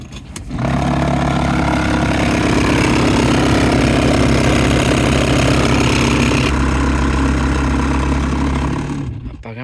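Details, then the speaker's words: 2018 Toyota Sienna cabin blower motor, noisy when the A/C is on, runs with a loud, rough grinding hum and a steady low drone, then shuts off; the mechanic suspects something fell into the fan wheel. "Este, yo creo que no va a servir. Tal vez le cayó algo adentro en la rueda que ah mueve el aire, pero se escucha muy feo."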